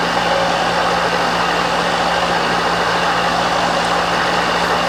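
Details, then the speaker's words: Milling machine left outside a year, restored and powered via VFD, tested with quill power feed and return: steady low hum with even mechanical whir, no knocks or grinding; runs smoothly, normal. "Tell you, I can honestly, for a free mill, you can't complain about anything that's wrong with it, but I just cannot believe that everything seems to work on here just fine."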